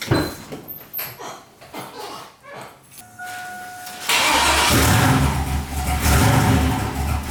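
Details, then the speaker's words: Freshly built turbo 6.0 LQ9 LS V8 in Silverado street truck, Holley Terminator, first startup: catches then idle surges and runs lumpy; intermittent unstable idle, owner suspects idle air control valve or dead cylinder, unconfirmed. "The only issue I'm having is sometimes it doesn't really want to idle. Other times it'll idle fine."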